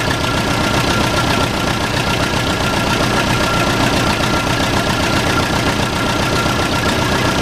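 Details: Case 580C backhoe, unrun for 10 years, fuel tank bone dry, started with ether: loud, steady diesel clatter with an even chug about 2.5 beats a second; the engine is running on its own.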